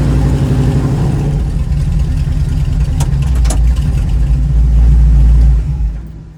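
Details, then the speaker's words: 1936 Chevy coupe with SBC 350 V8 and TH350 automatic. The V8 climbs to a loud, busy roar and keeps revving high after the shift into third. Owner suspects a gearbox fault or very low rear diff gearing. "you can hear it's going into third but it seems to be revving really high so either there's something wrong with the gearbox or my rear diff is set up for drag racing or something"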